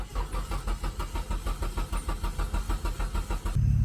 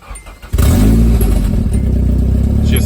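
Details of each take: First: 1992 Nissan 240SX yard find, first start attempt in over a decade: steady starter cranking at about three compressions a second, even and unbroken, no cylinder catching; turns over but won't fire. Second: Nissan S13 240SX yard find, first start in over a decade after repairs: cranks briefly, fires right up, settles into steady even idle then revs; normal start and idle.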